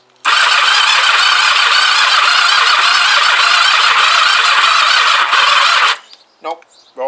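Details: Kawasaki GPZ500S cranking, likely on a weak battery: loud, fast whirring crank for nearly six seconds that never catches, then cuts out; jump pack was only clicking, battery to be charged.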